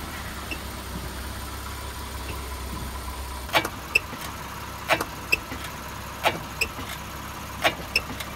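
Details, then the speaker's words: Toyota/Lexus car front suspension, driver's side: sharp knocks and short high squeaks over bumps and when braking, traced to the upper control arm. "I'm not sure how well the microphones gonna pick up those sounds but there were two different distinct noises one was the squeaky noise and the other was a knocking sound"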